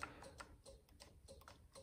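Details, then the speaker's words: 1999 Harley-Davidson Ultra Classic with the jumper removed: light, quick clicks at the start button but no cranking. The ignition switch (71526-93B) failed, with no voltage on the ignition wire. With a jumper fitted across it, the bike starts. "you can hear it clicking but it's not doing anything"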